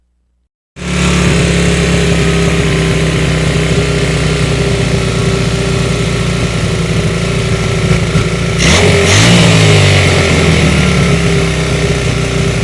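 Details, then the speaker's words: 1981 Honda CM200T single-cylinder bike test run after carburetor cleaning, before further tuning: runs steadily, then revs around nine seconds and picks up unevenly; carburetor still getting too much air (lean mixture suspected); rough running when revved. "as you can hear the carburetor still has too much air coming into it at this point"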